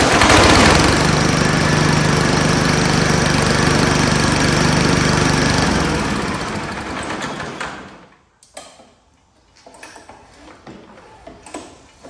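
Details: Horizontal-shaft Power Smart push mower, refilled with oil after sitting bone dry; loud, fast, even clattering knock over the running engine that dies at shutdown, traced to a banged-out self-propel drive gear with dished keyway that destroyed the crankshaft.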